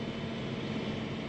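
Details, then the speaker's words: John Deere sprayer, in-cab: a steady low-pitched transmission whine holding constant under the drive rumble; normal for this machine, always this noisy. "That's noisy. This thing's always noisy. John Deere should really make them a lot quieter, because the transmission in this is just a little whiny."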